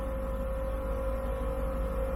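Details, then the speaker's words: Truck running on about a quarter gallon of gas after a no-start traced to an empty tank: steady low engine rumble with an even drone, no misses or knocks, while the onboard compressor builds to 75 psi. "here's the truck running i can't let it run along only like a quarter gallon gas in this thing yeah"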